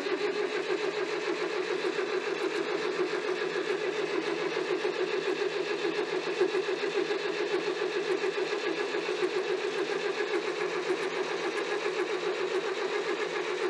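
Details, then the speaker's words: David Brown 990 diesel tractor started after Group 3 hydraulic adjustments with fuel cutoff valve opened: brief crank, catches, then a steady, even diesel clatter idle; fuel took a while to arrive. "I love that sound such a unique sound for a tractor love it"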